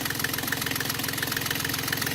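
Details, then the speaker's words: Yanmar 3GM diesel in a Hunter 35.5 sailboat after throttle cable replacement and idle screw readjustment: even, steady idle just under 800 rpm with a regular firing beat, no hunting or misses; normal idle. "What's that? That's under 800. Just under 800? Yep. Yeah. And it's not moving. It's good."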